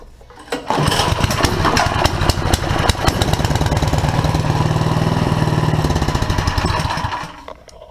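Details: Two-stage snowblower engine just after carburetor replacement, on choke and primed, run at idle: catches within a second and settles into a steady, even chug for several seconds before shutting off; normal start and run.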